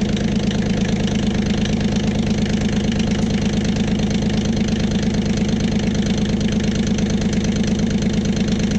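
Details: Kioti CK20HS diesel tractor after cracking injectors to bleed air from the fuel system: steady, even idle clatter with a regular beat and no misses. Owner still suspects a weak fuel pump and overnight loss of prime.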